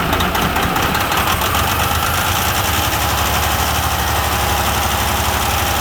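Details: Semi truck diesel idling just after a Davco fuel filter change: steady clatter with even low rumble, no misses or surging, stable normal idle.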